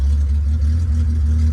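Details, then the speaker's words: Abandoned 1972 Datsun 240Z six-cylinder with uncleaned carburetors, open header, after ether starts now on gasoline from a boat tank: deep, steady low burble at idle with even beat and no knocks or misses; normal idle. "All right, cool. That's on gasoline from our boat tank, idling."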